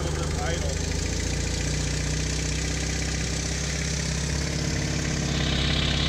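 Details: 1997 BMW R1100RT twin, started after a dead battery was charged and jumped: low, steady idle holds evenly with no stumbling or misses; normal idle.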